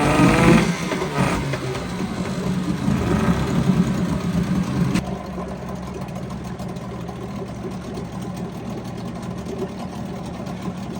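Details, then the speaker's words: 1981 Mariner 8 hp outboard, which the owner thinks is the same as the Yamaha motor, running in a test barrel; settles into an even, steady putter with no misses or knocks: a great running motor. "Now this is another great running motor. It's one of my newer ones, and I think it's the same thing as the Yamaha motor."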